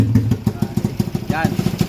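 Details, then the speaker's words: Motorcycle with 67mm 4-valve engine, after conversion to manual clutch without welding: steady even thump about six to seven beats a second at idle, no clatter or misfire; sounds good with no knocking, normal idle. "Ang ganda ng tunog mga idol. 67mm. Ngunit walang lagatak mga idol."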